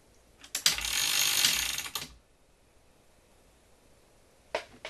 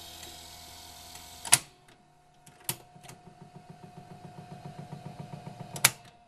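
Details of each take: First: 1978 RCA VCT-200 VCR after repairing a broken gear with epoxy and band: short, even whirring gear and ratchet run, then second burst, no grinding or slipping; transport sounds smooth, though the gear later broke again. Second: 1978 RCA VCT-200 VCR in play mode: after a few loud clunks the mechanism ticks rapidly and evenly but the tape never moves; belts first suspected, likely cause a cracked drive gear slipping.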